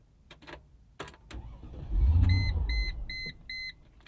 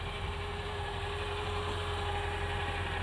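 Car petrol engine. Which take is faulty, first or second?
first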